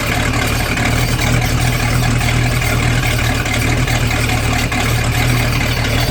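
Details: Boat engine run out of water on earmuffs with garden hose, after newly crimped battery wire connectors: strong, even low rumble holding steady idle, no misses, knocks or surging; normal idle.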